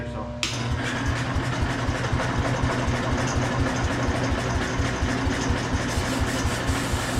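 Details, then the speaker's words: Ford 100 tractor (auction buy), carb not yet cleaned: the starter churns at about two beats a second with scattered weak pops that never catch; a spark tester confirms spark, so it fires but isn't getting fuel. "we just got to get gas to it um I'm going grab my spark tester just double check should be able to see it in the dark yep we got spark and I I don't know if you can hear it but she was firing"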